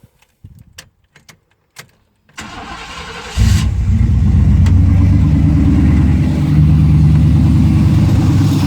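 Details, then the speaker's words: Chevy C1500 project truck, engine started at idle to show how badly everything vibrates; a loose bolt was noted on one side of the engine. Silence, then cranking into a loud, lumpy, uneven low-throb idle with heavy vibration. Cause unconfirmed. "I'll start it up and we'll see if the camera can pick it up in terms of how bad everything's vibrating."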